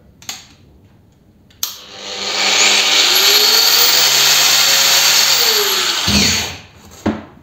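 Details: PROCRAFT PW 1100 ES 125 mm angle grinder spins up cleanly to a steady high whine at speed setting 6 (about 11,000 rpm), holds speed evenly, then winds down smoothly. It has an overload self-shutoff; the motor runs normally.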